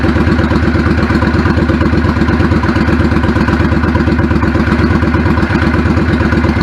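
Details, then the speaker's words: 1999 Yamaha V-Star 650 Classic, 650cc carbureted V-twin, 16K miles, idling after cleaning clogged pilot jets: a steady, even low thump about 1.5 beats per second with no stumbling or misses, a clean normal idle. "the idle adjust smells a lot sounds good"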